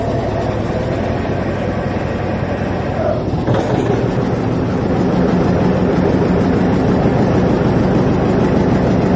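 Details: Vintage John Deere 720 two-cylinder diesel tractor after head gasket repair: steady, loping beat with even thump, no misses or knocks; running properly.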